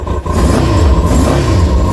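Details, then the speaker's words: Kawasaki ZX-6R running for the first time in 10 years, just started, no choke, blipped gently. It catches cleanly and settles without misses or rattles; the earlier no-start was likely from flooding. "I think I flooded it before, that's why. Didn't need the choke. Sounds good."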